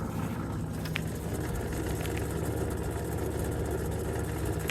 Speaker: yeah it's noisy it's getting noisier and noisier every day